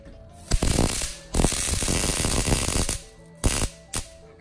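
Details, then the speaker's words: Capcom Big Blue arcade cabinet CRT monitor (Super Street Fighter II Turbo), switched on: bursts of rapid sharp crackling and snapping from high-voltage arcing at one spot, possibly a crack; temporary fix with silicone. "well that's kind of scary it's coming from right there so something I can't see something is going on right there"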